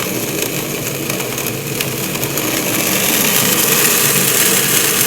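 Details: Acrylic centrifugal pump trainer driven by an electric motor through a magnetic coupling, with a valve throttled to drop pressure and cause flashing: a dense gravelly crackle like rocks rattling through the pipe from pump cavitation.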